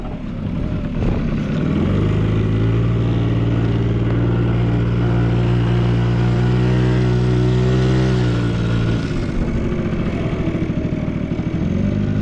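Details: Vintage Honda Squash (AB11-1064) 12V moped with electric starter, running test: small single-cylinder engine settles into a steady, even putter with no knocks or rattles; no abnormal engine noise, clean healthy idle.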